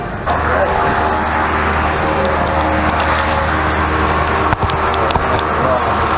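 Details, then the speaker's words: Freshly rebuilt 408 small-block Chevy for a 1972 C20 truck (to be boosted, daily driven), with MSD distributor and carburetor, on its first start with no tune: it fires straight away and holds a steady, even rumble with no knocks or ticks. Normal running. "That's first rotation right there. No tune, nothing like that. She went right off. That's good."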